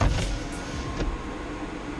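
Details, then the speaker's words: Mitsubishi Outlander PHEV after a 15 A charge to about 99.7%, with a battery that no longer holds charge: a low steady hum with soft clicks as the A/C cools the battery, fan at 47%, about 750 W. Normal. "That's the air condition for cooling down the battery."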